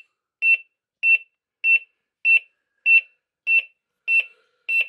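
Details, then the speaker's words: Smart Water Leak Alarm WiFi (battery-powered flood detector) in a cellar, base wetted: sharp high chirps repeat evenly about every 0.6 s in a quiet room; water leak alarm sounding, though barely audible from upstairs floors. "Par contre, je vous avouerai que le bruit, je l'entends à peine d'ici, d'où je suis, à l'étage. C'est pas assez fort, c'est dommage."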